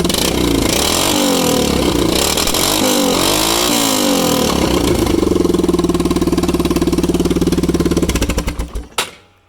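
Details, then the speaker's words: 1998 Yamaha Kodiak quad, abandoned, fresh fuel, started via solenoid bypass: raw, very loud unmuffled popping bark at idle and on revs because the exhaust terminates in the middle; exhaust leak. "starts up very easy catastrophically loud because the the exhaust terminates right in the middle there"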